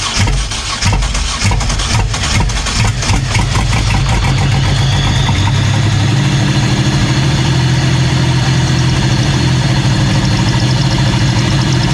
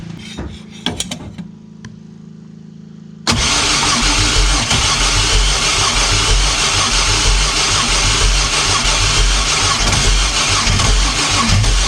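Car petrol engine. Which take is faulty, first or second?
second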